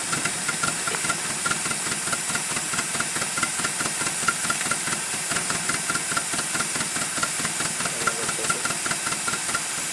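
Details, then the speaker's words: Project car bought cheap, faulty clutch switch bypassed to start: uneven stumbling idle with irregular chuffs and loud hiss, seems to fire on only one or two cylinders, won't restart, smoked and smelled of burnt oil earlier; rough running misfire, cause unconfirmed. "as you can see it doesn't want to start back up but that's what it does sounds like it's only firing on maybe one or two cylinders at a time"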